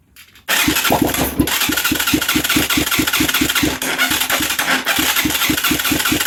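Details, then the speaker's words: Huaniao HN125 Chinese motorcycle. After starting fluid goes down the carb and barrel, the single catches after a short crank and thumps along at about five pops a second, sputtering only on starting spray. "it's going to sound like crap because it has an exhaust pipe on it but i don't care"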